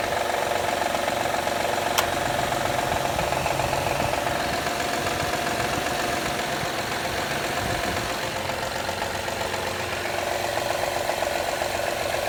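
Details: 2013 Honda Accord EX-L V6: loud, sharp, even clapping knock about four per second over idle, every time the engine warms up in cold weather; cause unclear.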